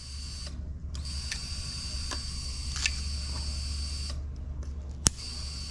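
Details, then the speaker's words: GM marine fuel-injected engine with 2nd-gen HEI ignition, module triggered during ignition diagnosis: steady thin high whine from the fuel pump with light, evenly spaced injector ticks; normal fuel pump and injector operation. "i should hear the fuel pump run because this is a marine engine and the injectors click too here"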